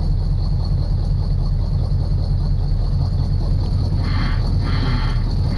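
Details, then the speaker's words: 1976 Chevy Chevelle V8 with Edelbrock carburetor, auction car revived, gas poured in the carb: deep steady rumble with no top-end ticking or clatter, though no oil pressure is shown, possibly from a chewed oil pressure line. "I don't hear any clitter clatter oh my God"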